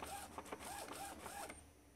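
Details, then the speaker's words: Epson L395 printer printing an image after fixing the slipping carriage: light rhythmic whirring sweeps with soft clicks, no scraping or grinding; no noise, no jams, normal printing. "Aparentemente tá 100% aqui, ó. Tá? Agora, sem barulho, sem travamentos."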